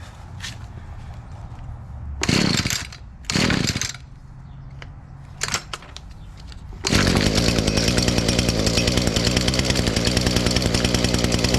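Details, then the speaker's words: ECHO SRM-230 trimmer two-stroke with new carburetor, primer bulb barely filling: after a few pulls catches and settles into clean steady buzzing run with no stumbles. Normal running. "There you go. That thing fired up."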